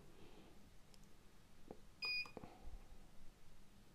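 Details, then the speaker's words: UNI-T UT501A insulation tester beeps during a motor winding insulation test: one lead on the housing, one on the winding, bypassing the control board. At 250 V it reads 5.5 GΩ and is rechecked at 500 V; insulation good, so the board is suspected as the fault. "250 5,5 GB to jest dobry wynik spróbujemy dla 500 dla pewności 5,5 jest dobry wynik"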